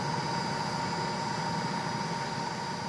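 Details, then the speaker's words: Camper van diesel at idle during a DPF regeneration forced with a diagnostic tool after the yellow DPF warning light; steady, slightly raised idle with an even rumble and no knocks as the engine builds heat. "Şu anda bir teşhis cihazı kullanarak DPF'yi yanmaya zorluyorum. Araba ısı üretiyor ve devir sayısı artıyor."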